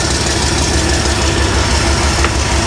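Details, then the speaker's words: 1975 Bricklin SV-1, low-mileage original car that sat for a while, in park and off the ground: loud, uneven low idle that lumps and sags, nearly stalling. Transmission fluid is still low, the tank may be nearly out of fuel, and frozen water in the block is possible. "Come on, girl, keep running. So it runs bad, and it's still low on fluid."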